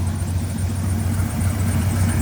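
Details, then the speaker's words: 1997 Dodge Ram 1500 SLT Laramie after new spark plugs, wires, distributor cap and rotor, jump-started after previously only cranking and sputtering: steady deep rumble at idle, even firing, some squeaking suspected from a pulley or water pump. "It's got a push start. So, we're going to get rid of that. So, yeah, it didn't start before and it was sputtering. Now, it sounds good. I mean, there's some squeaking. It's probably a pulley or the water pump."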